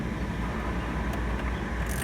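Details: Suzuki SX4 after AC evaporator replacement, with all interior refitted: a steady, low whoosh holds level with only a couple of faint clicks. The cooling fan is running smoothly.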